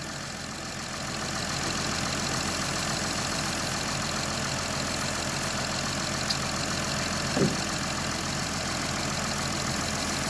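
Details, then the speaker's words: Honda Odyssey petrol engine idling after silicone lube sprayed on the drive belt's outer surface and inner grooves: even hum and faint hiss, the post-winter squeal gone; belt and pulleys fairly new. "So right there I can see the inside of the belt. It became even quieter."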